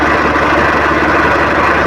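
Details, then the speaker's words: Swaraj 855 FE tractor idling in neutral with clutch released: steady, busy metallic gear rattle over the diesel engine, gear lever shaking; stops when clutch is pressed; noise also in all gears except fourth while driving. "Neutral position में भी खड़ा है उसे समय भी अगर हम गलत को छोड़े हुए रहते हैं तो उसमें भी गिर गिर गिर गिर इस तरह से साउंड आते ही रहता है"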